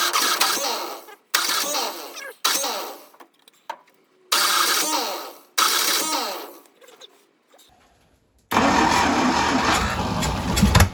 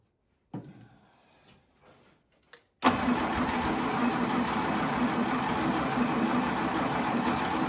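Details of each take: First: 1952 International Harvester L112 engine, unrun for decades, after a new 12-volt ignition coil fixed the no-spark problem. Short cranking bursts, then it catches and runs, but not steadily, while being hand-fed gas and starter fluid. The coil still gets hot. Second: 1952 International Harvester L112 barn-find truck engine, sprayed with extra gas, with spark confirmed at the plugs and a cold coil: after a few weak turns it cranks steadily and nearly catches but never idles on its own.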